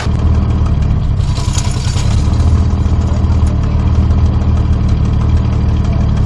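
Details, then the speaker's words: Barn-find 1973 Dodge Dart Swinger, 225 slant six, first start in 29 years after freeing a locked engine, new battery, cleaned plugs, gas down the intake: steady, even low rumble with no knocks or misses; running smoothly. "now wow sounds really good that's awesome [Applause] all right so it runs"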